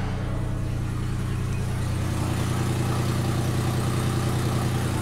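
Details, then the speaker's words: Mercedes with 207,202 miles, stalling and barely going, oxygen sensor removed to test for clogged catalytic converter: loud raw blatty idle with coarse rasp from open O2-sensor port; exhaust leak through sensor hole. "What did Monkey Wrench Mike do to see if it was a clogged cat? I took out the oxygen sensor."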